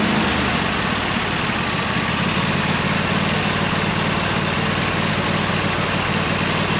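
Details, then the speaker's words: 26 HP Kohler V-twin on a lawn tractor, idling just after fitting new OEM Kohler ignition coils to cure an intermittent one-cylinder misfire; loud, steady, even beat with no stumbles or misses; not perfect yet but much improved. "so it's still not perfect it's running really good compared to what it was originally but it's pretty good for now"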